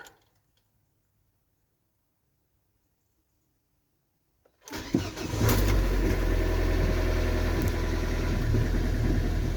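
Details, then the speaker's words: Diesel van with a worn ignition switch: silence, then it catches and settles into a lumpy idle with revs drifting up and down; the idle is hunting, which it did not do on the last drive. "oh look it's doing the old hunting thing again now it didn't do that last time I drove it"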